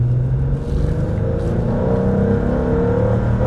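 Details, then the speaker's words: 2004 Acura TL 3.2L after an engine replacement, fully warmed up, revving: revs climb slowly and flatten near the top, struggling to reach redline; owner suspects a clogged third catalytic converter restricting the exhaust. "I suspect that's because that third catalytic converter is clogged but it does run well that restricted exhaust will hamper power delivery and it will happen at the top end"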